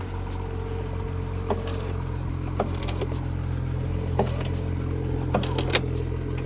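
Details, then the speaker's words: BMW 335i E90, 158,000 miles, engine idling: irregular snapping and cracking clicks as the rear window runs, from a broken rear window regulator after the window got stuck at the top. "yeah that doesn't sound good at all so the window regulator is broke in here on this rear window"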